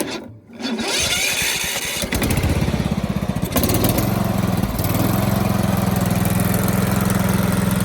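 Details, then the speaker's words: Toro Z4200 TimeCutter 54" zero-turn, flooded in Hurricane Irma and parked about two years, first start after fuel and choke: starter whirr, a couple of stumbles, then it catches and settles into a steady, even idle with a firm low throb. "It's alive! It's alive! There you have it, she's running."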